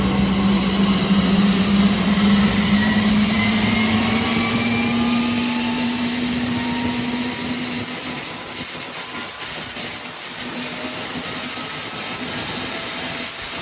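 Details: 2010 Camaro jet car with Boeing T50 turbine mated to a 700R4 transmission, in park: smooth steady turbine whoosh with a high even whine creeping up slightly then holding; normal idle.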